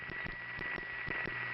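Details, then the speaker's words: 1977 New York City Bronx East 150th Street central office, phone-line recording with pulsing ticks electronically removed: low steady hum with faint clicks about six a second; that building's normal power-supply noise. "now I'm going to electronically remove the tics and let you hear the power supply noise of the East 150th Street building from this very same phone call"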